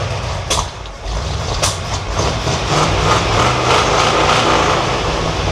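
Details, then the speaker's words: 1978 Ford F100 that sat in a field over a decade: creeping in four low at idle. It runs rough and falls on its face with any throttle, rising and sagging, from fuel starvation; an open carburetor port was plugged as a possible vacuum leak. "Any throttle I give it, it is falling on its face."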